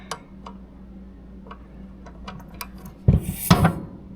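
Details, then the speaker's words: Locked-up, fully built race engine turned slowly by hand: scattered light ticks then sharp clunks near top of piston stroke, owner suspected the head; cause was a loose washer stuck to the flywheel striking. "That's happening up here. This is not from the inside. Something's breaking or happening up here."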